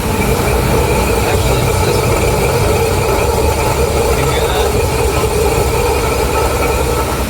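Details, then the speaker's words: Oasis I-5 machine driven in manual override: rough, continuous grinding rumble over the motor drone as the gantry travels; the failed stainless drive motor or white gearbox, driver's side, pointing to worn drive motor bearings, later replaced. "so we're gonna go inside and we're gonna override drive so that the machine starts moving we'll be able to hear that grinding noise"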